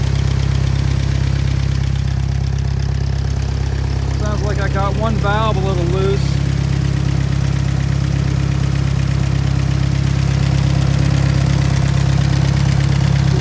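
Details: Willys engine powering a Hobart welding machine, after a re-ring and valve job, no longer burning oil: low, even chugging at a steady idle with no knocks or misses; strong, healthy normal idle.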